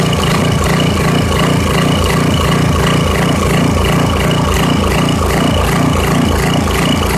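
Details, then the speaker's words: 1989 Briggs & Stratton 13 cu in 5hp 6:1 gear-reduction engine, first run after years sitting, no air filter fitted: slow, slightly uneven single-cylinder thump, idling below proper speed; rpm needs raising. "so okay so um it sounds like it's a little bit it's running a little bit slower than uh it should be so i'm gonna have to speed up the rpm just a bit"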